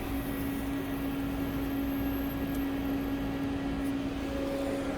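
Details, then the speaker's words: 2004-2006 Volvo S80 A/C recharge, machine charging 1 lb 54 oz of refrigerant: steady low hum of constant pitch, no surging or rattles, gauge needle moving; normal refrigerant charging. "you hear like uh some type of like this that means it's charging i'm saying and the needle is moving i'm saying it's almost there"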